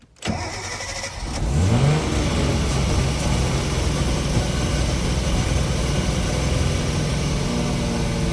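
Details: Nissan RB26DETT starting on the old Apexi Power FC ECU after the Haltech Elite 2500 flashed an orange status error: brief crank, catches cleanly, steady even idle with no misses or knocks; fault traced to the Haltech ECU, normal start and idle.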